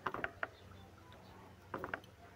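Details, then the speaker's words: Suzuki with a noisy air-conditioning compressor: pulley turned by hand gives two quick bursts of sharp rough clicks, catching like a stone inside, confirming a failed pulley bearing. "Parang may sumasabit siya na bato. Yan. Ayun. Ngayon confirm sira yung bearing."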